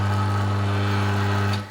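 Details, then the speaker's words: Nutool pillar drill press motor after rewiring with new emergency stop switch: steady, even low hum at constant speed, no rattle or grind, then clean cut-off; motor running normally. "switch it on press button motor will start everything will rattle"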